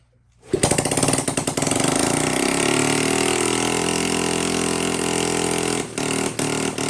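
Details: Honda CT70K1 first run in roughly 34–35 years, leaking oil everywhere; small engine catches and sputters unevenly, firing stumbles and dips instead of holding a steady beat; runs rough, cause unclear.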